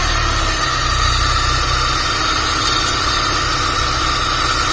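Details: Freshly assembled Honda Civic Genio petrol engine idling during air-fuel ratio adjustment: even steady idle, smooth low rumble, no misses, knocks or ticks; runs cleanly.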